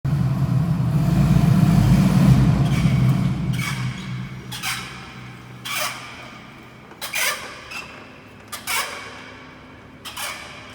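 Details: Honda Valkyrie: low rumble fades, leaving sharp rhythmic squeaks that slow as the bike rolls down; bad wheel bearing.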